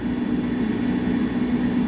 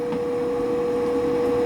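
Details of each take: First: Power vent water heater at full power, heater and bathtub running, about 120,000 BTU total: steady even low hum with soft rushing wash, no surges or rattles; meter reads about 55 dB indoors, quieter than a voice. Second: Power vent gas water heater, replacing a fanless direct vent on a middle floor; meter (A-weighted, slow) reads about 74 dBA beside it. Constant loud mid-pitched hum over steady fan rush; blower simply noisy.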